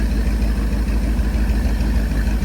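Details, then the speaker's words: Taylor SS jet boat inboard after Berkeley jet pump rebuild, on load tank test; deep steady even idle rumble with no ticks, knocks or grinding; jet pump pumping water, engine healthy. "now you got it right sounds good no weird noises"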